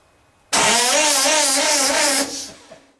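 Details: 1909 Cadillac speed car, first start attempt in 79 years after restoration, with an added electric starter: about two seconds of loud spitting hiss over wavering cranking; fuel blowing out of primer cups left open.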